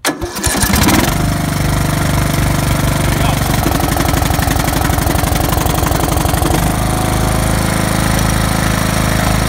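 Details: Craftsman LT3000 riding mower with a Briggs engine, given a new coil, new spark plug, fresh gas and new fuel filter, with no air filter, at about 30°F. On choke at full throttle it catches after a brief crank and settles into a steady, fast putter, starting normally.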